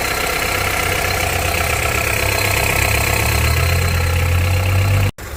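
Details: Honda CR-V 2.4, cold idle, knock tracked since about 100k: loose, uneven ticking knock over a low rumble, source not pinned down; engine knock at cold idle.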